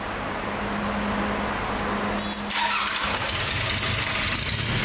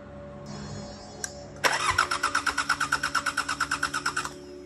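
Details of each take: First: 34-year-old unused Sabb M4 marine diesel after fuel system work (electric lift pump replacing the low-pressure pump, injector pump rebuild), water-cooled via hose: it catches and settles into a steady, even knocking beat. It now starts and runs smoothly. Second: 34-year-old unused Sabb M4 diesel engine cranking: even beat about three per second for over two seconds, compression pulses clear but never fires; no start from fuel injection pump fault.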